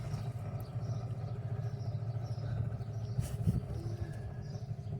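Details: Nissan Micra rear wheel hand-spun before bearing replacement: low, gritty rumble that churns on as it turns; badly worn rear wheel bearing, both rear bearings being replaced.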